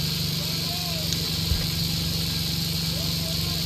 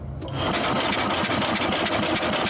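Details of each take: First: 1966 Simplicity Sovereign lawn tractor, Briggs points-ignition single-cylinder, fed a little starting fluid to get going: steady, even beat with a low hum and no misses; running fine, though the extended old coil wire is probably arcing. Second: 1966 Simplicity Sovereign lawn tractor, Briggs points-ignition engine: fast even cranking whir with no firing; points not closing/actuating properly, no spark, cranking no-start.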